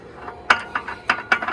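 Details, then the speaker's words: 2012 Chevy Volt, lifted front wheel turned by hand: sharp metallic clunks about three a second; suspected transmission failure, actually a broken outer CV joint/axle not turning the shaft. "and this is Ty this is the type of sound that it was coming um when the car was put into drive and my first thought was um the transmission went bad"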